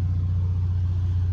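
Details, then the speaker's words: 1990 Monaco Crown Royale diesel-pusher motorhome's onboard generator, started from the interior control panel after preheat: steady, even low hum, no knocks, misses or surging; sounds really good, running normally. "oh there it goes and it is green and it is running sounds really good too"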